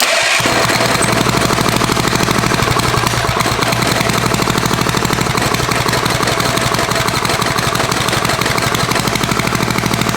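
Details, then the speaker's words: Barn-find Tecumseh four-stroke small engine, with points and ignition checked and freshly rewired, carburetor untuned: on full choke at slightly raised throttle, fast loud choppy popping with an uneven beat; rough running on choke. "let's choke off had to choke all the way on oh [Music] that's pretty good suggest to throttle up just a little bit give it a little more choke"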